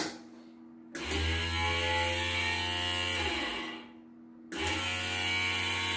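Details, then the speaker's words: Third infrared-sensor bobbin winder (Chinese-style, economical) in a function test; motor spins up to a smooth even hum, shuts off, restarts cleanly; runs without problems, though units vary, some smoother, some rougher. "Oke, kita lancar ya, tidak ada kendala. Kalau suaranya itu beda-beda ya, ada yang suaranya halus, ada yang agak kasar gitu kan."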